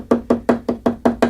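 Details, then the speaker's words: 1966 Fender Deluxe Reverb combo cabinet: sharp even wooden knocks about five per second as cabinet is tapped; loose logo emblem has play and rattles against its screw, to be tightened with a number one screwdriver. "So the logo, the emblem here. Not sure if you can see that, but it's got a little bit of play and it's vibrating back and forth"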